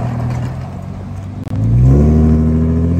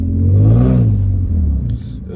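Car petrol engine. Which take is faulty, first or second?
second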